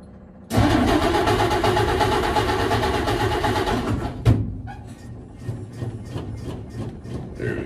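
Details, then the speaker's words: Carbureted engine catches after short crank with smoke, fuel filling float bowl, then revs to a busy elevated idle; idle set too high, carburetor to be adjusted down. "well that's good got some smoke going but um everything seems to be idle way too high so I'm going to go and adjust it down"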